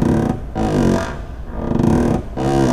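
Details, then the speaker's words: 2009-2018 Ram truck door swinging: two drawn-out groaning squeaks like a bowed string; dry door check roller on the hinge, lubricating its post cures it. "lovely doesn't it again sounds like somebody ate too many burritos but the noise we get so I'm sure that's a pretty common sound for you guys if you guys have owned one of these trucks for any length of time or it's getting some miles on it"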